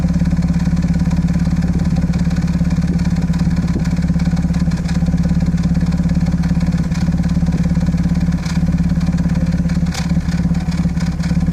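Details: Audi A6 C5 2.7 biturbo V6 idling with a lumpy, uneven beat, about 2.5 stumbles a second: a misfire on bank 2 (driver's side). Coils, plugs and modules were swapped and compression checked; catalyst, lambda and cam position faults were logged; cause unknown.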